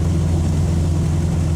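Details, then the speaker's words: 1995 Honda Civic EJ coupe on a test drive after its cheap eBay muffler was packed with fiberglass insulation: a deep, smooth, even exhaust rumble. The nasty rasp it used to have around 4,000 RPM is gone, and the exhaust tone is normal. "Alright everyone, so I took it on a test drive and sounds pretty good. You know, it sounds nice and deep. I don't hear the rasp anymore."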